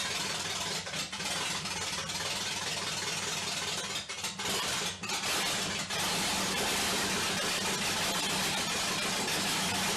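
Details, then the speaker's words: 1946 Chevy half-ton pickup small-block V8 first start: timing not set, temporary looped transmission line, no cooler; loud raw idle with ragged stumbles and dropouts early, then steadier, flames seen from header; rough running expected, cause unconfirmed. "i'm expecting it not to run well but i've made a temporary transmission line and looped it back to itself so there's no cooler but it's not"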